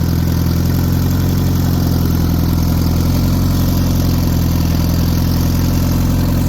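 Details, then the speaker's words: Turbo car making 20 psi boost but not moving: light, fast, even ticking over a steady idle, with no oil reaching the cams; owner thinks the valves are not getting enough oil. "So, and then I checked see if we're getting oil on the cabs. It's like not even getting any. And you can hear like a ticking noise."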